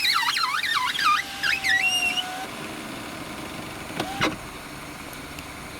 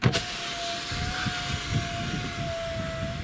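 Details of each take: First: 2013 Citroen C4 power window: high, wavering squeaks over a steady motor hum as the glass moves; squeak fixed by wiping the deeper inner door rubber seal with a damp wipe. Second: 2013 Citroën C4 power window after wiping the inner glass seal with a wet wipe: smooth, even motor hum and no squeak.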